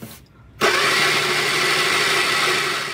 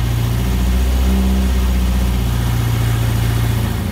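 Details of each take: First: Replica Bonneville Austin-Healey Sprite with a Shorrock supercharger, never run before, cranked with the fuel pump hose to the filter regulator disconnected: the starter whirs steadily and the engine never fires. No fuel is delivered, and the pump is suspected not running. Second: Shorrock supercharged Austin Healey Sprite replica on its first-ever start of the newly built engine, choke pushed fully in; steady, even low burble with a smooth, regular beat and no knocks or misses, idling on its own: normal idle.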